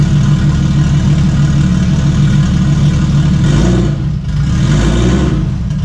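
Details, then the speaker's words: Stock Toyota 1JZ six swapped into a Fox Body, first test fire after minor harness changes and new intercooler piping: steady, even low rumble with no knocks or misses; it settles into a smooth, healthy idle. "all right guys so it runs um i really didn't expect it not to run"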